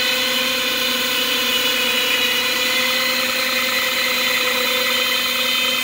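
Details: 2007 Lexus GS450H hybrid with 226k on it: steady high-pitched whine with a fixed tone over the running drivetrain. It seems to come from the back side of the engine, and the owner suspects the generator.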